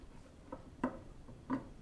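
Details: Hard disk drive ticking inside: quiet irregular ticks roughly every half to two-thirds of a second in a small room, heads likely hunting; failing HDD clicking, data still recoverable.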